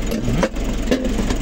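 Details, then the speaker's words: Nissan NV350 diesel after a heavy PMS with all filters replaced, warming up after a coolant top-up, idles low and even with no misses or bangs; it misfired and banged before servicing. "So ayan, tahimik na tahimik ang andar oh. Pinong-pino mga paps."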